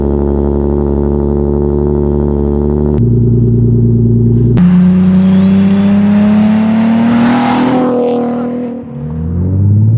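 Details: Nissan 370Z VQ V6 with DIY custom exhaust tip, cold start after sitting about a week and a half: even fast idle, smooth rising rev and clean drop back, no knocks or rattles; healthy.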